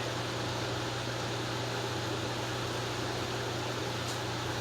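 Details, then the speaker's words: Restored 1950s Wizard 6JC2418 hassock fan, transformer repaired, on high speed: steady low hum with even airy rush, very quiet, no bearing rumble, rattle or grinding; normal running. "Fan came right up to speed. Everything is working. It's very quiet. It's putting out a really, really smooth breeze."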